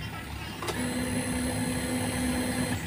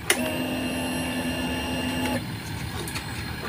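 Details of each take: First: Fuel-injected motorcycle, battery at 11.2 V, no power-up voltage booster fitted: steady mid-pitched fuel pump priming whine for about two seconds at key-on, then cut off. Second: Fuel pump on a fuel-injected motorcycle with a homemade power-up voltage booster set to 14.5 V: repeated two-to-three-second bursts of high electric whine, each opening with a click, louder than on the stock 11.2 V battery.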